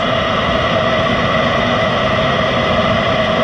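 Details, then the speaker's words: Eberspächer Hydronic 5 kW 2nd-generation coolant heater with fault codes 12 and 15, tested with no exhaust muffler fitted: fuel pump ticking as it starts, then a steady even burner roar with no surging or misfire; runs fine for 12-13 minutes. "Okay, I can hear the fuel pump ticking, and it looks like it's starting."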